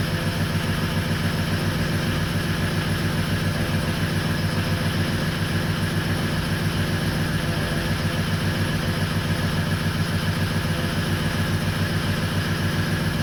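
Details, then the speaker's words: 2004 Ford 6.0L Powerstroke diesel started with ICP sensor unplugged; hard uneven clatter at idle, about 214 beats a minute, with injection control pressure stuck around 1400–1500 PSI. Rough idle from excessive injection control pressure. "now granted it doesn't run great because you got too much pressure um at idle and then you don't have any enough pressure to be you know to try to drive it"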